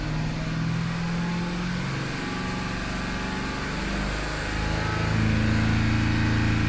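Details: Mercedes-Benz CLS500 M278, 230,000 km, after camshaft and timing chain adjuster (phaser) repair: steady even low rumble settling smoothly with no tick, knock or rattle; healthy running after repair.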